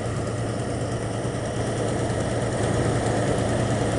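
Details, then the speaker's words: 1989 Jeep Grand Wagoneer cold start idle with uneven, stumbling dead miss; worst at the rear spark plug on one side, compression good, owner suspects exhaust manifold hole/leak lowering back pressure; not yet fixed. "Here's got a dead miss now. That's because the spark plug on the very back on this side here. It's uh that's the most that's the worst one."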